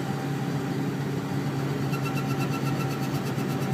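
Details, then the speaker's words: Turbo compressor surge on a diesel: a rapid fluttering chatter of about eight pulses a second over the diesel drone. It is hard on the turbine shaft, and a new compressor wheel is said to fix it. "If you guys haven't seen or dealt with turbo surging, I'll put a little clip of it, or I'll try to put a little clip of it in this video so you guys can kind of hear what it sounds like. It doesn't sound good."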